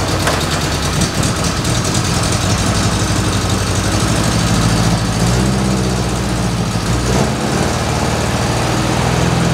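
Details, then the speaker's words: 1973 MG Midget parked over 40 years, oil leak and timing addressed, good oil pressure: small four-cylinder settles into steady, even idle with firm low rumble, no knocks or misfires; normal running. "i'm going to try and make it start and i did it runs"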